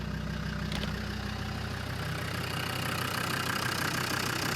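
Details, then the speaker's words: Land Rover Defender 90 TD5 after a new Denso starter motor and earth straps were fitted: steady, even diesel idle with a smooth low pulse of about three per second and no knocks, purring as it should. "There we go. That sounds a lot better. That's purring away."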